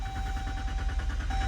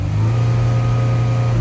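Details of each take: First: 2014 Dodge Durango 3.6L V6 after PCM replacement and ETC relearn, with P0335 crank sensor fault: steady starter cranking with regular chugging beat, long extended crank before firing, attributed to shorted crank sensor wiring. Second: 2014 Dodge Durango 3.6L V6 after PCM replacement and ETC relearn: strong steady low drone held briefly at raised revs, throttle responding cleanly with no more dead pedal; crank sensor fault still pending.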